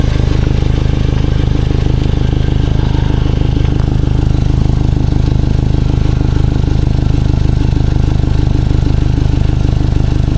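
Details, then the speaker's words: 2011 Toyota Camry at idle, heard under the car: steady, even puffing tick, loud and low, keeping time with the engine; exhaust leak at the flex pipe, with an O2 sensor code also present. "It's right here on the flex pipe. Right there. So that's the exhaust leak."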